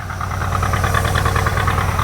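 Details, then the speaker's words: International Scout on a newly fitted carby; the mechanical fuel pump is overfuelling, and the owner wonders if the jets are too big. Rough, lumpy idle with uneven low chuffing and no clean steady beat; running very rich. "as you can see it's running it's not running real good she's running Pig rich"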